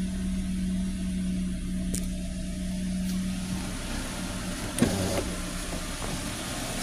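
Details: 2003 Nissan X-Trail T30 2.5 petrol that stumbled and lost rpm under throttle, after coil and spark plug replacement: smooth normal idle with a steady low hum and no misfire stumble.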